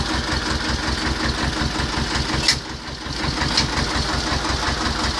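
Steady, even diesel chug at idle with a regular beat and no knocks or misses; the engine sounds healthy.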